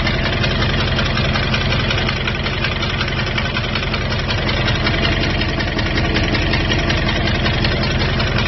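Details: 2002 Jeep Grand Cherokee WJ 4.7 V8, professionally rebuilt with 4k miles, warm with normal oil level: steady idle with a light, even tick around 160 a minute, began after a rest stop restart; owner suspects loose exhaust manifold.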